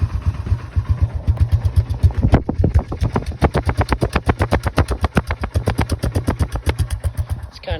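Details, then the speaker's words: Honda Fourtrax 300 ATV with a fuel problem, fuel valve off and left idling to run the carb dry: slow idle pulsing about four times a second with uneven, sagging beats as it chokes out of gas; fuel starvation stumble. "Kind of choking up, so I think that means it's pretty much out of gas."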